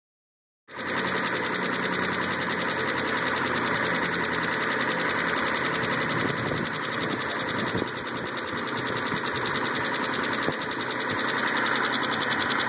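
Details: Mitsubishi 3000GT jump-started with a jumper box, idling with a quick, fairly even top-end tick about three per second; lifter tick suspected, not confirmed.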